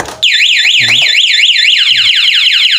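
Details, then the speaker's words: 2022 Honda Beat Street scooter with aftermarket remote alarm armed: loud warbling siren sweeping up and down about twice a second, then speeding up, triggered by ignition tampering; anti-starter prevents starting. "kalau misalnya kita kontaknya ketinggalan di motor atau dibobol orang gitu dia akan ke sirinenya akan bunyi kemudian anti staternya akan jalan jadi tidak bisa distarter motornya"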